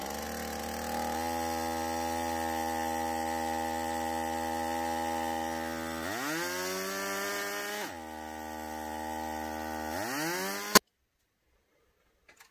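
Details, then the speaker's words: Stihl MS 170 chainsaw after fuel-system repair, first run with air filter base fitted but filter not yet installed: fast, even buzz that never settles to slow idle, two quick throttle blips; idle speed too high, carburetor hard to adjust. "Ogrody są bardzo wysokie. Nie mierzyłem ich jeszcze, ale to nawet słychać tak po prostu, że na na wolnych obrotach one wcale nie są wolne."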